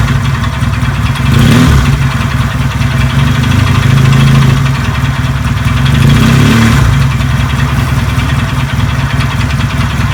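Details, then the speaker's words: Benelli 250 engine at low idle, owner complaining of noise: uneven knocking mixed into the beat, returning with each turn, as if parts are colliding inside the engine. "Oh bisa mengidentifikasi seperti ada barang di dalam enjen itu berbenturan ya"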